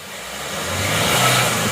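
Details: Ertiga common-rail diesel, rebuilt after oil leak repair, free-revving: revs climb smoothly and ease off with no stumble or knock, no exhaust smoke; healthy engine.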